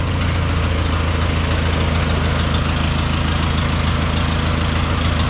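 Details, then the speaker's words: 1929 Austin Heavy 12, 95-year-old engine running: even unbroken low idle about two beats a second, no stumbles, no misfire; vacuum fuel pump believed drawing from the tank, good oil pressure, some coolant weeping on the heads. "and we reckon it's drawing fuel from the tank and it's not misfiring which is an absolutely cracking result"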